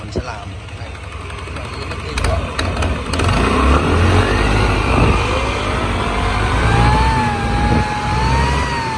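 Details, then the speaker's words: Italian Honda SH150i scooter, about 10 years of use, before repair: uneven clacking rattle, about four knocks a second, over the engine note from a worn CVT clutch. "Đó nó kêu cạch cạch cạch cạch cạch luôn đó"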